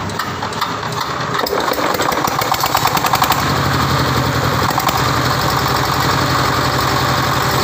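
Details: Tiger Power 24ND (D24) single-cylinder diesel with electric starter, bought for crop spraying: steady, even idle thump at roughly three or four beats a second, no knocks or rattles; running healthy.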